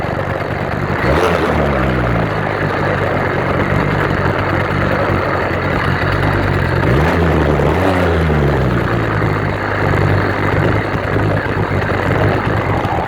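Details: New 66/80cc Chinese two-stroke motorized bicycle engine on its third start, being broken in on 24:1 oil/gas and 91 octane, idle screw just turned. Even buzzing idle with slight speed drifts that settles and holds steady. Running fine.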